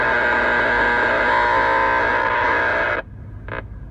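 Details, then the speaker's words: Raspy, harsh buzz with a steady tone underneath, strong and even, then cutting out abruptly, heard while driving toward the power poles on West Cavilla. RFI about 20 dB over S9 off the poles: power line arcing buzz. "still Southbound on Henson passing through Arby starting to hear the arcing poles now on West cavilla"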